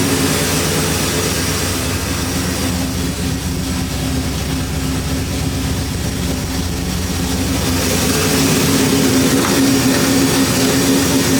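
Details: 1973 Impala 406 small-block Chevy V8 after replacing a collapsed lifter and fitting 2-piece guide plates on aluminum AFR heads, total timing about 36°. Deep, steady warm-up idle that is almost at temperature. The valvetrain is quiet with no lifter tapping yet.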